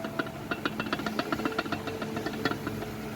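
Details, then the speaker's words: Ford Fiesta front suspension: quick uneven metallic clacks, three or four a second, from lateral play in the shock absorber rod, which knocked metal on metal over cobblestones and potholes and mimicked a stabilizer link or strut bearing. "e aqui do amortecedor que é uma vibração na hora que passava na paralelepípedo nos buraco ali batia ferro com ferro mas aos olhos aí não dava para ver nada"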